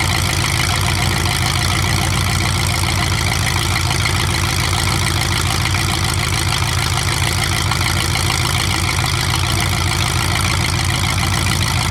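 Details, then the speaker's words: 427 big-block Chevy V8 on an engine run stand, first fire after sitting a long time; distributor timing just adjusted, possibly the wrong way. Loud, even, fast-pulsing rumble holding steady, no misses or knocks; normal healthy idle, engine staying cool. "I think I went the wrong way, but yeah, that sounds really good. It actually sounds really, really good."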